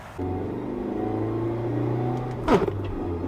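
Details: Mazda MX-5 Roadster, owned almost a year: steady engine drone, then a harsh crunch at the shift into third. Broken transmission.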